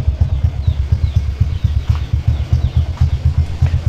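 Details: Motorcycle warming up before road test, stock camshaft replacing a high-lift cam whose lift was too high: steady low thumping idle about two beats per second, even, no tapping or misfire.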